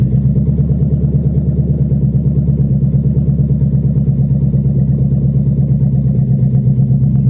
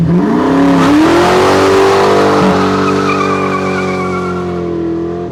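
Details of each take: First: 1997 Mustang GT (salvage auction car) running with exhaust manifolds only and no exhaust system, before the SLP Loudmouth and BBK X-pipe install, driven off the trailer: deep raw V8 burble with hard uneven pulses at low idle, ridiculously loud. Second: 1997 Mustang GT just fitted with SLP Loudmouth exhaust and BBK X-pipe, before the K&N cold air intake, started on a cold day: deep even V8 burble climbing smoothly with revs and settling without stumbles; no check engine lights, sounds right.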